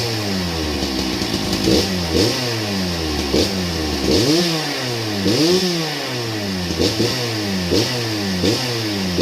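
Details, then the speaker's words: Old Husqvarna 268 chainsaw, first start with chain very loose: revs rise and fall with loose metallic clatter; broken chain brake band lying against the clutch. "I'm willing to bet about 90% of that racket's right here. Yeah, the chain brake band's broke and laying right against the clutch."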